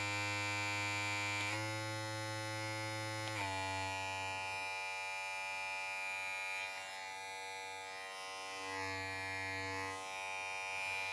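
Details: Opove X Prime rechargeable hair clipper with rpm control, switched between about 5000, 6000 and 7000 rpm settings: steady high buzzing hum that shifts pitch with each setting then holds even; motor running normally.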